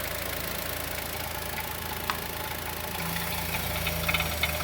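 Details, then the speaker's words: 2020 Chevrolet Onix naturally aspirated, about 4,000–4,500 km, first cold start of the day at idle: rapid uneven light ticking knock, louder with oil filler cap open, not clutch bearing; lifter or piston pin suspected, expected to stop when warm. "Olha o barulho do motor batendo. Pisa no freio. Olha o barulho como bate, pisando no freio. Pode soltar o freio. Olha como o motor bate. Parece bater no tucho ou pino de pistão."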